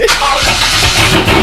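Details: C5 Corvette V8 at first start-ups after installing a BTR Stage 3 cam, with Corsa catless longtube headers and Corsa Xtreme catback exhaust: loud, choppy catch and uneven loping idle typical of a big cam, no mechanical knocking.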